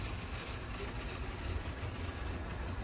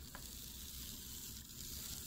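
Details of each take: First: Bachmann HO scale PCC trolley rail buses after motor cleaning/repair: even low motor rumble with soft rail clatter and brief squeaks, smoother and quieter once up to speed; normal running. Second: HO scale Bachmann PCC trolley rail bus after motor cleaning/repair, running at high speed: tiny motor with rough, hissy buzz instead of smooth whir, still a little noisy.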